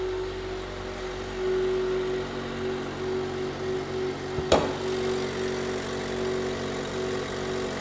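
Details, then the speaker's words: A Chevy Volt rebuilt from two wrecked cars, after airbag module programming, has its gasoline engine start automatically when the hood is opened (hood switch). It catches, gives one brief clunk and settles into a normal, steady idle. "the internal combustion engine will start whenever we open the hood is because there's a hood switch on there"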